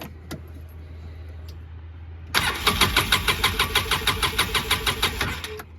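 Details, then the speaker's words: 2007 Polaris Ranger 700 6x6 that idles but dies on throttle; after rewiring a connector with butt splices, starter still turns engine sluggishly about three compressions a second without catching, slow cranking persists. "still a slow start here"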